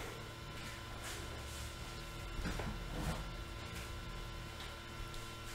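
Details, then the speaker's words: PC tower power supply after cleaning, fan running: quiet, steady whir with a faint constant tone and handling bumps; slight noise remains but nothing obstructs airflow, fan running normally. "a un petit bruit mais maintenant qu'on a bien tout nettoyé est sûr que voilà jusqu'à ce que le ventilo lâche ce qui est sûr c'est que ça va pas ça va pas être problématique"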